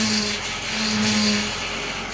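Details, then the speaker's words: 1998 Honda Accord EX 4-cylinder, idling with the steering wheel turned: steady whine from a failing power steering pump despite plenty of fluid; pump to be replaced. "all right so we start this vehicle you can hear the whining noise the turn of this year we'll hear that pump whining"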